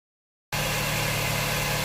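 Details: Honda Jazz 2009 1.5 GE after replacing its noisy, failing AC compressor clutch assembly: steady even idle with a smooth low hum and no whirring or rattle from the compressor; the clutch sounds healthy.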